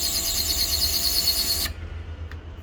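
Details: Canon imageCLASS LBP122dw laser printer: piercing high squeal pulsing rapidly while the printer runs, cutting off when it stops; worn fuser sleeve rubbing.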